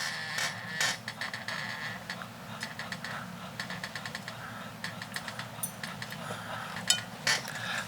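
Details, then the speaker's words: Lie angle being bent a few degrees on a painted Exotic tour 3 wood hosel, gently clamped in a Mitchell lie angle machine: irregular sharp creaks and crackles, a couple each second; shaft crackling warns it is near its limit. "you can listen to the shaft crackling and you can listen to the you listen to this so it gives you messages on whether or not you're getting close to the bad thing so you don't want to go too far"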